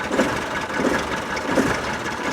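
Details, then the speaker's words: Land Rover 300Tdi diesel with fuel supply problems, started after sitting since August in cold snow: idle swells and sags about every three-quarters second, hunting for fuel; owner suspects the fuel pump. "listen this now hunting for fuel look"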